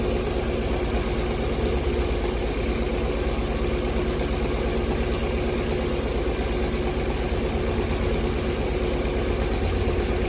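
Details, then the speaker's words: Lada Priora four-cylinder, tester at the first-cylinder injector connector: one cylinder has no injector pulse; rough, uneven idle with an irregular lumpy beat near three a second, running on three cylinders; misfire on one cylinder at idle. "достар, бір цилиндрде импульс жоқ. Бір цилиндрде импульс жоқ."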